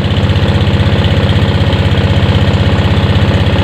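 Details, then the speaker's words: Fuel-injected motorcycle remote-started through the alarm, which has a starter delay of a few seconds: it then settles into a steady, even single-cylinder idle of about four beats a second with no misses. "Nah, ada jeda starternya beberapa detik baru hidup. Nah, sudah hidup."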